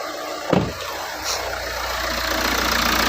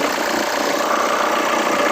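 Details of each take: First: Hyundai Santa Fe petrol engine idling steadily and quietly after the drive belt and idlers were replaced. The earlier loud vibrating noise came from outside the engine; now there is no squeal, chirp or grinding. A normal idle. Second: Hyundai Santa Fe engine at idle, hood open: loud steady whirring rattle and vibration from worn idler and tensioner pulley bearings on the drive belt; belt, idler and tensioner replaced.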